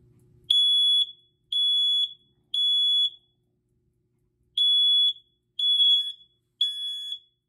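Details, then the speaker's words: BRK/First Alert SC9120B smoke and carbon monoxide alarm or 7010B photoelectric smoke alarm on test: three loud high beeps, a short pause, then three more at about one per second, with LED blinking; normal test pattern, same as a Kidde alarm. "yeah they test the exact same way that's really cool the LED blink it does exactly what kid is do"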